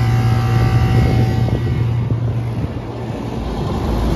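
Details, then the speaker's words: York rooftop unit, repaired after tripping its breaker: first-stage cooling (Y1) runs with the fan, then after what may be a five-minute delay the second stage (Y2) compressor joins in with a steady hum; normal second-stage cooling. "probably have a five minute delay going on person's second station running first stage and there goes the second stage"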